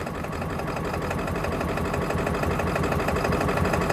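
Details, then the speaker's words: Ford F350 diesel with a crank-no-start fault, running after the fuel tank was cleaned, low on fuel, with possibly old off-road diesel in the heads. It clatters unevenly at idle with a loping beat and a dense low thump. Rough; cause unclear. "Feels like it's running out of fuel. At least it's running. It's running. It's running rough."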